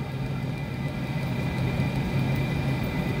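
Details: Cheap Chinese diesel heater, first test run before van install, turned down via remote to about 25: steady low combustion roar with faint even pump ticks; running normally.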